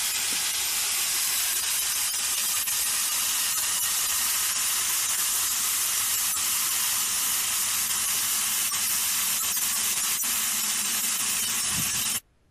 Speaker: so that's the type of noise and uh visualization you can you can hear once once you dig that up and and uh obviously you can understand why uh these sensitive devices could can hear that um traveling down the pipes